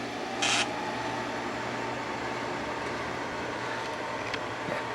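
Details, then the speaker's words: 1995 Carrier VisionAire window A/C, 6050 BTU, 6 A, after hose clean-out and fitted with a new cord, first start of test run: soft steady fan hum and airflow, one brief early click, no grinding or rattling; normal running. "and yes we have air flow right here cool that might work better than i thought"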